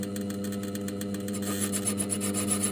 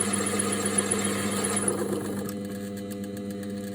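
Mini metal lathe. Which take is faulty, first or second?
first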